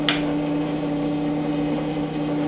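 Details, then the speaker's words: Ford Escort RS Cosworth that cuts out after running for a while: the engine goes quiet and only a steady electric hum remains as the fuel pump keeps running. Cause not yet found; injectors and coil being checked with a noid light. "so I've predicted if we leave the car running it does just cut out and when it cuts out you can hear the fuel pump is still running"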